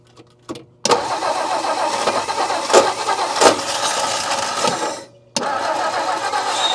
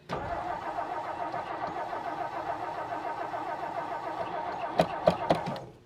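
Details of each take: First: 1959 Meteor left for dead in the bush, first start after refitting the distributor rotor and cap: cranks, catches after a brief stall, then settles into a steady, even idle with no lifter rattle. Oil pressure is assumed. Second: 1959 Meteor left in the bush, steady starter cranking roughly three to four turns a second with no catch, then a few sputters; no fuel reaching the carburetor, fixed by adding gas.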